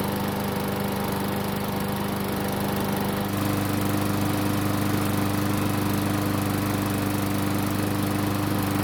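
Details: Nearly new Murray lawn mower small engine, given away over carburetor trouble, runs after service and with the air filter back in place. It has run several minutes and is good and hot, running smooth and even at steady speed with no knocks, misses or hunting; it runs normally.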